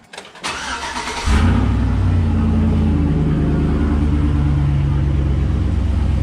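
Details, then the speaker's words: Truck after new spark plugs and plug wires: short crank, catches at once, then smooth even low idle with no misses; running fine. "Alright, so everything seems to be good. It seems to be running good."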